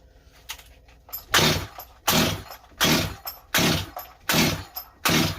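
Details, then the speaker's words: Rebuilt Stihl 025 chainsaw with new Meteor top end, first start attempt after carburetor low-jet adjustment: repeated pull-cord rips about once a second, never catching; sounds flooded or fuel-starved, owner suspected bad carburetor. "uhoh she not getting enough fuel he did think this carburetor might be bad"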